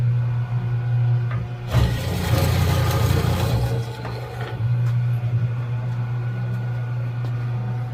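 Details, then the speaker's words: Router running while fitting breadboard edges to a walnut table top, with no wood caught around the spinning bit: steady low hum with a short louder rush mid-clip, then even and smooth; running quietly and normally. "You can hear how quiet this is."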